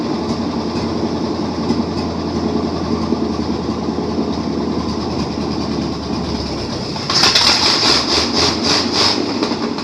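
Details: 1953 Chevrolet Bel Air rat rod small block Chevy V8, first run in 30-plus years with a little gas added: low steady rumble, slightly uneven beat, quick high chirps near the end; keeps running.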